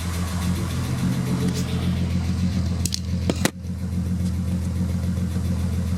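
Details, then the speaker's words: Mk4 VR6 after power steering pump replacement and fluid top-up, original line kept: even, steady idle with no groan or whine from the pump, brief handling knock midway; pump sounds healthy. "so I added fluid and makes no noise feels a lot nicer I mean it's up in the air but so far so good just listen to it run"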